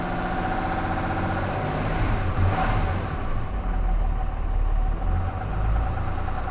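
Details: 2014 Cummins 6.7 diesel idling after a CAT 1R-0750 fuel filter install on a BMP housing, primed to about 10–11 psi and checked for leaks: steady, even low rumble with no misses, knocks or hunting; clean, healthy idle.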